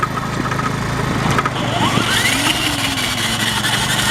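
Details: 1990 Yamaha Moto4 ATV, engine off and towed by another Moto4 in 5th gear with the clutch out: a thin whine climbs in pitch with wheel speed then holds over the towing engine's putter; drivetrain whine, occurs in every gear, began when it stalled.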